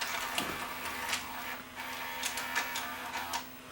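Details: Sony SLV585 VCR, said to be not working, loading a deliberately broken test tape: a quiet motor hum under light clicks and whirring as the cassette draws in smoothly. Normal tape loading.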